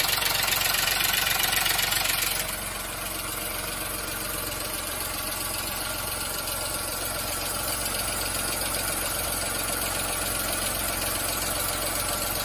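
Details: VW Fox 1.2 L 6V three-cylinder (BMD): steady, even idle with a smooth regular beat, no stumble or knock.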